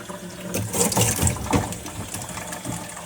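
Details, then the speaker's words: Toilet cistern suspected of causing a large water bill, refilling after water turned back on and checked for leaks: steady rushing and splashing into the tank with no hiss or sputter; filling normally, checking that it stops. "obviously that is now filling. And we're just going to make sure that that fills and it stops."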